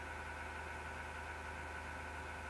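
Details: Steady mechanical whir with a rough, gritty grind over a constant hum from a PC; something spinning inside is grinding, source unclear.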